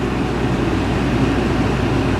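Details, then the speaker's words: Walk-in cooler reading 30°F inside, after replacing a popped fuse: even low hum of the fan motor running alone with no compressor kicking in underneath; compressor not starting, motor failure suspected. "all right so I got the amperage running let's turn it on see what happens my compressor still off so but now I got the gearbox running"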